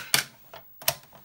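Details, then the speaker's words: Commodore PET 2001-8 Datasette (C2N-type) drive: paired clicking bursts about every 0.75 s from gear noise, quieter after greasing the gear teeth; occurs without tape and not with every tape. "greasing the gear seems to have quieted that noise a bit however"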